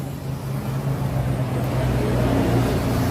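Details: Honda TMX125 single-cylinder with a bubbling carburetor before carb cleaning: runs uneven and bubbly, skipping about four beats a second as revs rise. Misfire from restricted air intake.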